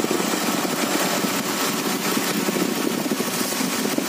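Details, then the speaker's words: Idling engine after tightening the V-belt, with water sprayed on it: a steady run under the spray hiss with no squeal or chirp. The belt, water pump and alternator pulleys still spin fast when wet, so the belt drive is healthy. "Oke, nampak basah. Basah. Dan masih berpusing dengan laju. Oke. Walaupun dia basah, dia berpusing dengan laju masih."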